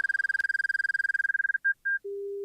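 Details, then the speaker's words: Light aircraft in a turnback practice after simulated power loss on takeoff: rapid high beep at about seventeen pulses a second, then a steady lower tone; the stall warning, meaning the aircraft is right at the stall. "But keep in mind that when I hear that stall warning right now, I am this close to the stall."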